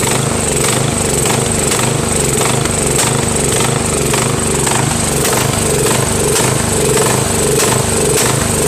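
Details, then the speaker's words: Craftsman 13.5HP mid-engine riding mower with a replacement single-cylinder engine, new starter, battery and keyway. It pulses loudly and unevenly at about 100 beats a minute, rough and hunting, sounding worse than before. Surging, cause not established. "now man that sounds worse than before you know well I don't know fellas this tractor is gonna be the death of me I can't figure it out"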